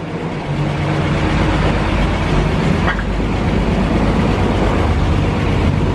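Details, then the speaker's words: 1940 Dodge VK62B 3-ton ex-RAF truck, restarted after months unused on old fuel with choke just eased off: engine settles into a fairly even low rumbling idle with slight unevenness, smoothing out as it warms; normal idle. "i think she's smoothing out a bit now well she's warmed through a bit now"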